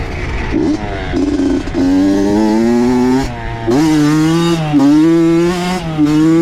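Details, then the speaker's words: Honda CR80 two-stroke with Keihin PWK 28 carb, about 60°F, after replacing a spark plug the owner thinks was oil-fouled: crisp revs climb and drop cleanly with a steady ringing note and no stutter. Running good now, though possibly lean. "I mean I can tell instantly right away and I'm sure you guys can too with the sound of it so yeah I mean things running good"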